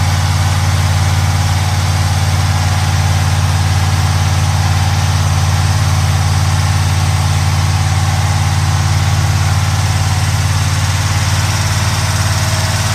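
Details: 1970 Pontiac Trans Am Ram Air III, 469ci stroker on pump gas: ported Edelbrock aluminum heads, Lunati hydraulic roller cam (231/239, 110 LSA), 10.5:1 compression, freshly built. Deep, even, lumpy loping idle at about three beats per second, with no knocks or ticks. Normal idle.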